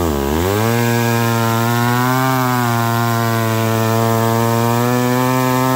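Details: McCulloch Pro Mac 1010 chainsaw cutting wet wood with a dull, poorly filed chain that pulls right. The saw dips hard as it bites, then labours at a flat, lower speed, bogging under load. Much better than before, but not 100%.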